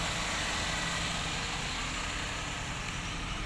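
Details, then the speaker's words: 1994 Toyota Great Corolla 1.6 SEG manual, idling with the AC on: a steady, even idle with the AC compressor engaged and no growl or knock; the engine and compressor sound smooth and healthy. "Nah tidak ada suara ngorok-ngoroknya masih terdengar halus untuk mesinnya walaupun AC sudah nyala"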